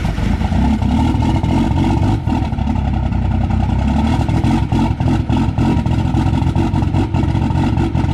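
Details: Cummins diesel truck at -6, grid heaters unplugged, truck not plugged in; heavy clatter surging and sagging about every second with smoke after cold start; rough cold-start idle lope from no intake grid heating.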